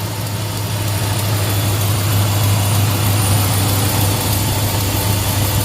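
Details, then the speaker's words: 2005 Dodge 1500 pickup, 4.7L V8, high mileage, misfiring with suspected blown head gasket and possible exhaust leak: loud steady idle with rough, rattly whir from the front; accessory pulleys suspected, not confirmed. "Pulleys sound kind of junky."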